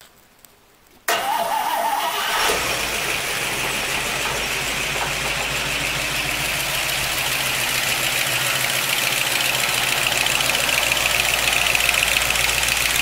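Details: 1955 Pontiac Chieftain just after an oil change to five quarts of Walmart 10W-40 plus one quart of Marvel Mystery Oil: it cranks, catches after a second and settles into a fast idle with a light, steady tick. Ticking at idle, cause suspected, not confirmed.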